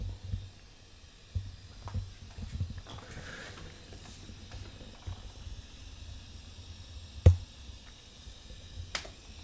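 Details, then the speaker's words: Guitar amp with master volume at full but volume only at 2 gives a steady low buzz (hum) under the silence, with handling clicks from the guitar; the buzz gets louder as volume is raised. "ยนเสียงจี่มั้ยฮะนี่ผมเปิดมาสเตวอสุดแต่ว่าวุมผมเปิดแค่เลข2เองถ้าผมเปิดไปร่มอีกมันก็จะยิ่งดังถูกมั้ยนะฮะ"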